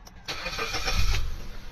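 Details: Suzuki SX4 that had been cranking without starting, with a check-engine light and starting only about once a day. After repair, a brief crank and the engine catches at once, then settles into a steady idle with no stumble: a clean, repeatable start.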